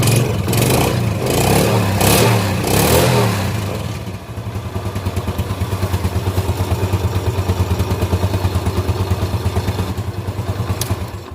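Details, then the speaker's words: Yamaha Jupiter Z carburetted motorcycle after no-start diagnosis confirming fuel, compression and spark: after a few blips, engine settles into an even, steady putter of about three beats a second; running normally again. "baik teman-teman, mesinnya sudah bisa hidup kembali."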